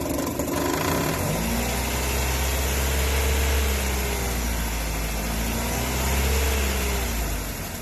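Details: 2008 Nissan Versa SL, loud noise when revving: deep idle rumble with a droning note swelling every few seconds up front; owner first suspected timing chain guides, actually the serpentine belt tensioner pulley, fixed by replacing belt and tensioner.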